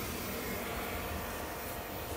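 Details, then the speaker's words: Hayward 250FDN pool heater after cleaning the ignition manifold: steady, even burner roar with no popping, puffing or flutter after ignition clicking and gas light-off; the heater now fires cleanly and produces heat. "up there goes the wolf that we were waiting for we have heat oh yeah we have heats sweet"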